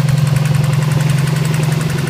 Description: This tapping noise started one night after setting antilag up on my sti. Doesn't really sound like rod knock, possibly something in the valve train.